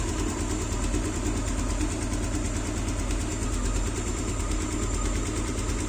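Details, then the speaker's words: Yamaha Aerox after camshaft replacement (lost cam-sprocket pins), engine reassembled: steady, even low idle with a smooth beat, no knocking or rattle; sounds healthy, though a hiss from a missing tensioner cap was noted. "Nah, suaranya udah halus lagi. Semuanya udah oke guys."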